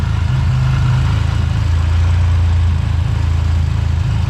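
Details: Buick GS after a Big 3 power and ground wiring upgrade, started in the rain with the A/C off, showing 14.4 volts. A low, smooth, steady idle hum with an even beat and no misses or rattles, a normal idle.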